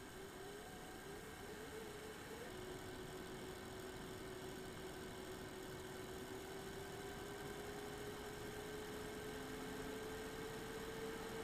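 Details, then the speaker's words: Eight-year-old MSI Radeon HD 7970 Twin Frozr III graphics card under load: a thin steady coil whine slowly creeps up in pitch over an irregular fan rush. One 75 mm fan (PLD08010S12HH) is dead and the other is failing. "so we're loaded you should be able to hear the irregular fan spinning separate from the coil wine"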